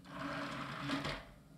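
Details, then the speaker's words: Scrapyard CD-ROM drive with a harsh tray eject: a coarse, buzzing whirr with uneven chatter; it spins up a little and stops, and won't read a CD-ROM or an original Windows 98 disc. A rough, non-working mechanism. "rough let's try again it spins up a little bit and then it stops"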